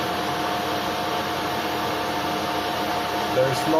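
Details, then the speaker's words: DIY CNC mill spindle driven by a 2.2 kW (3 hp) AC motor on a VFD, first run on new bearings, base 50 Hz ≈2700 rpm, cranked up at high speed: smooth, steady hum with only slight vibration; bearing warming, spindle running normally. "vibration though they can feel is very good warmer deceleration time can be adjusted in the VFD this bearing is starting to get world but other than that I think everything is fine"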